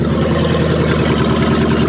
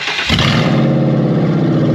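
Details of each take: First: Ex-police 2000 Ford Crown Victoria V8, stored for years, running with no alternator belt and a loud exhaust: even V8 idle with steady low burble, no misses or knocks; runs smoothly and sounds healthy. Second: Ex-police Ford Crown Victoria (2000/2002) with catalytic converters removed, stored for years, no alternator belt: starts after a brief crank into a deep, loud, raspy idle burble that runs fine.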